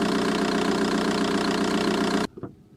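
Quick light ticking, roughly four per second, over a steady diesel idle until shutdown; the source of the tick isn't clear.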